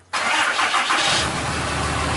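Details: 2012 Ram 2500 Cummins diesel, start after fuel filter change (Fleetguard FS43255) and priming: short crank, then catches cleanly into a steady, even idle; normal start.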